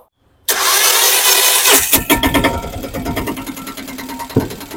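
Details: 2023 Piaggio Ape Classic auto that seized after 100 g of extra engine oil was added, start after engine rebuild: short crank, fires straight away, settles into a busy, fairly even idle; rebuilt engine runs.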